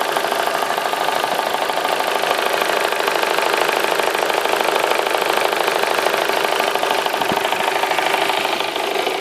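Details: Vauxhall Astra H 1.6 SXi petrol at hot idle after a 40-minute drive, with a hard, rapid clatter making it sound like a diesel; cause undiagnosed.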